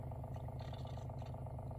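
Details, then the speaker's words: WaterFirst countertop reverse osmosis purifier, first-time setup, filtering after a power restart with bubbles rising in the tank: a steady low hum with an even pulse and no rattle or squeal; the pump is running normally. "All right, so now it sounds like the machine is going to filter water. You can hear it working."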